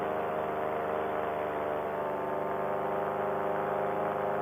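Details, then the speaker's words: Air Conception Tornado 280 two-stroke paramotor in flight after rebuild (new piston, gaskets) following recall damage, broken in gently during climb: high steady drone, even pitch, no misses or surges; running smooth. "she'll take me back there cause she's running smooth ladies and gentlemen"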